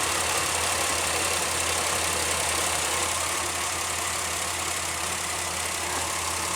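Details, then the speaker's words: 2001 Pontiac Aztek just after a PCV valve replacement, which had been shaking and missing: idle briefly turns steady and even on all six cylinders after something near the coils or wires is touched; the fault is intermittent. "running really smooth now she's perfectly fine"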